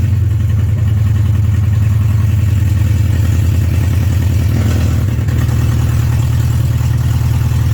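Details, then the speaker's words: BMW 316i E46 first start after four years, following clutch, flywheel and engine reinstall: very loud, deep, raw, steady idle, running evenly with no knocks or misses. Normal idle. "it was loud as hell i'm not sure how good you heard that on camera but it's freaking started it freaking started"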